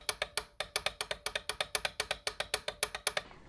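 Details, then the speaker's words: Tohatsu MFS 9.9/20 outboard with 3 seasons and 300 engine hours, boat underway: quick, sharp metallic clacks of about seven a second. The tilt stopper fork is unsprung and rattles because of play in the tilt handle. "На ходу лодки мы ощупывали и саму подвеску, и её элементы, и убедились, что в основном шум исходит [музыка] от ручки подъёма и опускания мотора, [смех] а также от вилки упора."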